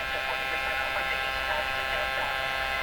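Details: 1949 Buick Sonomatic car radio powered from a variable supply without its vibrator: a steady buzzing hum sits under faint station sound. A filter capacitor not doing its job is suspected of letting supply ripple through.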